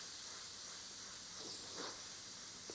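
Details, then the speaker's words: Airbrush with the main-line pressure dialed down to 10 psi: a steady, even hiss with no sputter or pulsing, not blowing back off the hand; clean, normal airflow. "drop it at 10 and just see how that sounds at 10 yeah it's not really blowing back off your hand it's nice you can feel the air"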